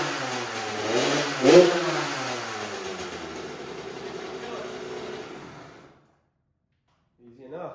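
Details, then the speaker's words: 2000 Kawasaki KX65 two-stroke, bought rough after sitting outside, first start: catches, crackles up through a couple of quick throttle blips, then cuts out; runs clean enough. "I guess it does run. That's sweet cuz then I can put it directly into that frame."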